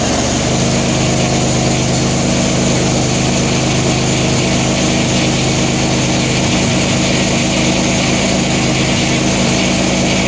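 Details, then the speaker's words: 2007 Pontiac Grand Prix with ZZP XPZ cam, recently retimed after timing chain correction, cold start: steady even idle with smooth low drone, no misses, knocks or stumbles, no smoke or leaks, 50 psi fuel pressure. "I'm about to go start her up and then start checking everything. Here we go. Cold start."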